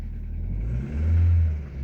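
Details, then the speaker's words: Old car after fitting new coil and fixing a bad coil connector, following bent valves: low even engine note swelling smoothly through a quick rev and settling, no stumble; head gasket not blown, normal running. "Yeah, that's working correctly. So it didn't blow head gasket this time. Very lucky."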